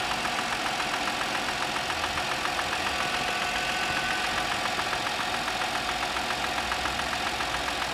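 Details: Audi A6 C6, cold morning: a regular, sharp tapping of about two beats a second over a quiet idle. This is a distinct engine knock.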